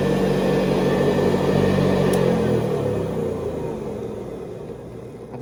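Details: 1970s Hoover Convertible upright vacuum, recently rebuilt, re-lubricated and cleaned, with new bristle strips and a 12-blade metal fan, on high: a smooth, even motor whirr with a steady beater hum, then a clean falling pitch as it coasts down; healthy motor.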